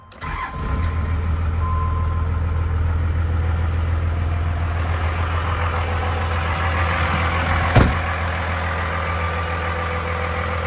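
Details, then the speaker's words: 1995 Dodge Ram 3500 dually 4x4 with a 12-valve 5.9 Cummins diesel, five-speed manual and 45,628 original miles. Cranks, catches quickly and settles into a deep steady idle rumble, no misses or knocks; normal diesel start and idle. "let's go ahead and fire this 12 valve up so we can hear it start"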